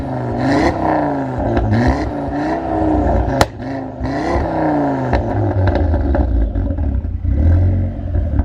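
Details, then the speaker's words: Stolen-and-recovered car, freshly serviced, warmed up, microphone at the rear: repeated blips with a deep, throaty rise and fall of revs and a crisp return to a steady burble. Normal revving. "Oh my goodness, that sounds amazing. I cannot wait to get this thing on the road."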